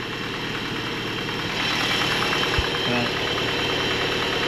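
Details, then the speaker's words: 1983 Toyota Pickup SR5, 41 years old, 5-speed, parked about a year, bad gas: rough low idle with a loose, regular rattle about three per second; engine rattle, owner attributes it to worn timing chain guides. "Idle right down and now you can really he that freaking chain guide I'll fix it some"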